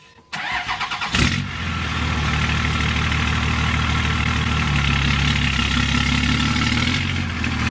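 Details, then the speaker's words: 2000 Dodge Ram 2500 with 5.9 Cummins diesel, 5-speed, after sitting three years, jump-started; starter cranks steadily about seven seconds without firing, owner suspects it's not getting fuel to the injectors. "Oh, need a jump. I'm gonna try it. It'll start. Sounds like it's not getting fuel."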